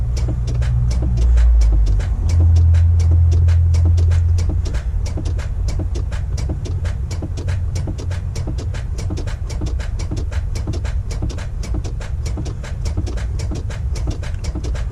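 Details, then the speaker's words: Semi truck with a failing starter (noticed about a week and a half earlier): steady, even cranking at three to four beats a second, never catching. The owner keeps tapping on the starter and thinks it's dead; later replaced. "hoping that she'll just catch it one of these times but she's just not seeming to this morning boys so I think she's dead so I'm gonna continue tapping on it for a few more minutes if not then you know she's not gonna start"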